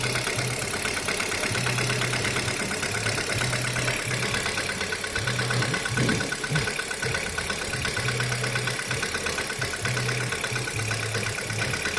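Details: Kia Rio 3 engine at cold idle: light, uneven knocking pulse over the steady engine note, roughly two a second; a cold-start knock, source undetermined.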